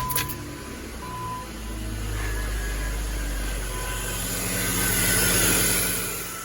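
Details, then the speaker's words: 2005 BMW X5 E53 3.0 just fitted with a new remanufactured alternator, fresh start: a thin steady high whine and hum rides over the idle; the replacement alternator is defective. "You can see that's a new alternator. And you can see it's making a whining, humming noise. So what we learned is this new alternator, which was a remanufactured alternator, is defective."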